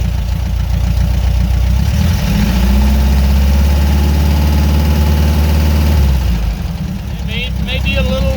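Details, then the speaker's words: 1975 Porsche 914 flat-four with new dual Weber carbs, fresh points and condenser and a fixed intake valve, running on open headers with no mufflers: loud idle with a slightly uneven, bouncy beat before a rev blip, lumpy, carbs still need dialing in. "no Muffler just headers and everybody fires right up so that's an idle a little bouncy let me rev it up son"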